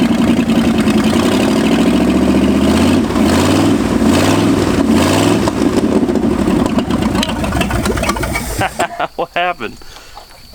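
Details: 1965 Ford F250 first start after 26 years parked, carb fuelled, throttle worked by hand: catches and revs unevenly, hunting and stumbling before settling; believed just lean because cold, rough running when cold.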